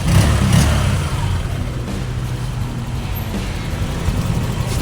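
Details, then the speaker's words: Honda Click 125 V3 scooter after top-end noise repair (tensioner and valve clearance checked) and refitting a missing pulley: low, soft hum with an even beat and no ticking or rattle; now runs quietly. "Okay mga Attorney Girls, so gumagana na siya. Yan. Okay oh, ayan oh. Ayan, tahimik na siya mga Attorney Girls."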